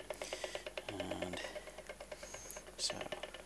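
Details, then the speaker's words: Prius traction motor (four-pole) driven slowly by a 12-step controller gives light, even ticks about three per second, one per step; normal and not rough. "okay so each click that you can hear is actually one of 12 steps so you should hear 12 steps for each phase rotation"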